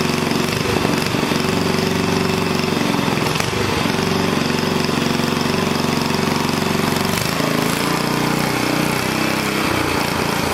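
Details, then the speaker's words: Onan engine mounted for a log splitter, governor linkage adjusted: a steady, even drone at a fixed governed speed of about 3,400 rpm with no misses or surging. It runs smoothly, and the stop switch works. "Killed it, stop switch work. I think 3,400 is good, especially for this little log splitter."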